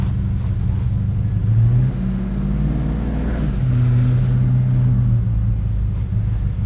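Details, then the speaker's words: 1986 Chevrolet six-door square body pickup, carbureted, after fixing vapor lock with a three-port fuel filter: deep, even engine drone while cruising, quieter than before, no knocks, misses or rattles, no longer shaking the cab; running normally. "I can already tell though loud, not as loud as it used to be. Oh, this is better. This is so much better. I can hear it, but I can't smell it. And it's not shaking the cab anymore."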